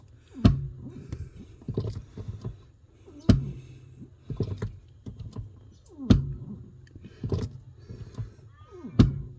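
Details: Newly fitted Bendix Ultimate 4WD brake booster (U4WD-BBLC80), engine off: a sharp low clunk every few seconds as the brake pedal is pressed, with softer knocks, as the pedal hits something then drops past it; cause unknown.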